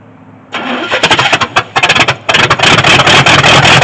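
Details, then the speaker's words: 1983 Chevy C10 squarebody with Edelbrock carb, mixture screws reset to 1.5 turns out: cranking, then ragged uneven bursts as it catches; runs only on hand-poured fuel with no steady supply, needs an electric fuel pump. "All right, well, we know it'll start, and we know it's just quickly burning through the fuel that I'm throwing in it from this."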